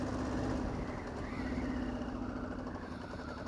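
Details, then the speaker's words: Diesel KLR motorcycle built for the Marine Corps, considered a 2006, small single-cylinder diesel (7500 rpm redline), riding with low-end grunt: steady thrum, even firing, faint hum, no knocks or rattles; runs healthy. "it really just has just all the time just grunt like here we'll go up this little Hill real quick just just all the all the lowend torque you could ever want on a bike like this"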